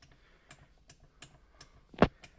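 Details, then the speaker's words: Accuair VU4 air-suspension manifold after replacing its leaking solenoid seals with a service kit, worked from the in-car buttons for all four corners up and down: crisp single clicks about every third of a second, one louder clack, all solenoids now switching normally. "All right, in the car, I'm gonna hit the buttons, all four corners, up and down. Hear the clicking. Previously, some of these did not do anything."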